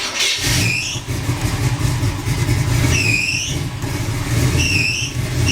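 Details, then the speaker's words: 350 SS truck V8 at first start, later run after valve trouble suspected: uneven lumpy idle with rising squeals, no smoke or death noises, fans working; runs poorly, cause unknown. "See, she don't sound too good. I think we better look into her a little bit more. Probably something messed up somewheres."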